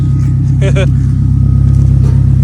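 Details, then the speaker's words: 2011 Toyota Camry at idle, very loud, deep booming drone like an open pipe; exhaust leak at the resonator/center pipe, owner first assumed a cut flex pipe; no dash lights, before muffler shop repair. "sounds like a scatty with the scit pipe you know what I'm saying"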